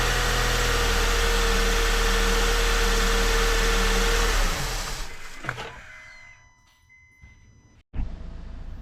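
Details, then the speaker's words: 2008 Honda Accord in cold weather, just restarted after replacing a split, dry-rotted intake duct that leaked unmetered air and caused long cranking and a high idle; smooth even idle, no longer high, with the AC on; normal idle. "Alright, seems to be idling just fine now with that duct replaced. Let's see, we turn the AC off, it'll come down a little more maybe. Seems to be running great though. It's not idling high."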